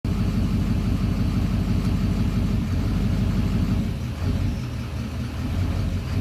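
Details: 2009 Duramax diesel idling in drive: a deep rumble with an uneven, loping beat about twice a second, idling rough only in gear, and the idle smooths out in park.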